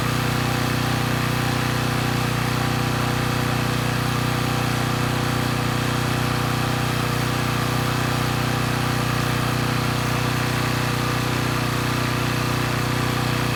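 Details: Coleman Powermate Pulse 1850 generator (PM0401850, 1996 engine 93412-0136-01) after carburetor repair, no load, speed being raised to 61.5–62 Hz; steady even hum, no misses or knocks, slightly slow, normal running; possible needle letting a little extra fuel drip.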